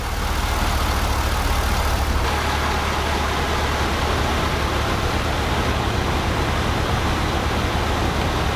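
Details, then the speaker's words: Pontiac (GTO/Trans Am repair vlog) started after belt work to check whether the belt squeal is gone: a smooth, steady idle rumble with no squeal or chirp. The squeal is fixed and the engine is quiet again. "Alright, now the moment of truth, we'll start it up, see if that squeal's gone. Hell yeah! Back to being quiet."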